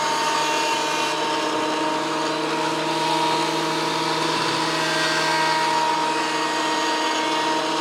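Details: WEN PL1326 15-amp 13-inch spiral benchtop thickness planer after repair of damage from misuse, feeding a small board: steady high motor whine with even cutting hiss, no knocking or chatter; cutting cleanly again.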